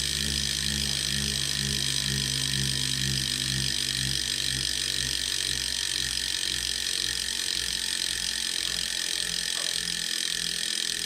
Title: Neo Grinding Noise